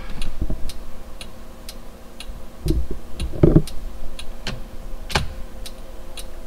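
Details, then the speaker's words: 2002 Toyota 4Runner after LED turn signal conversion, flasher relay speed screw adjusted to fix hyper flash: crisp, evenly spaced ticks about twice a second; normal turn signal flash rate. "that still seems like it's a little bit fast that sounds about right"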